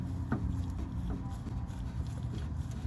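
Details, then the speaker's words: Mitsubishi Lancer with aftermarket coilovers, car jacked up, suspension worked by hand: dull, hollow clunks each time the rear suspension moves, traced to a dry, very stiff pillow ball top mount; suspension clunk. "So I'm gonna show you something, listen. That's a noise that we've been hearing."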